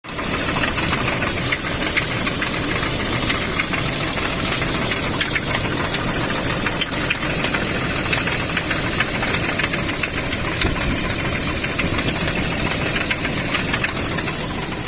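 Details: BMW M54 engine at idle; constant metallic knocking about two beats a second over a busy idle, coming from the top of the engine, cause unclear; engine knock.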